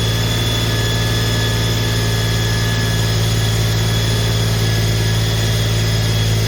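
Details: Holden HQ 308 V8, first start after full rebuild to stock spec, re-sleeved standard bores, Crow Cams 5651 cam (282 duration, LSA 114), remanufactured Quadrajet carb; steady deep idle burble, even pulses about four per second, no ticks or knocks: normal idle.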